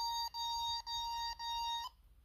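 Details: Bosch D7212 GV2 alarm panel, smoke detector on point one (fire zone) tripped: four even, high-pitched half-second beeps with short gaps, then quiet. Keypad signalling a fire alarm.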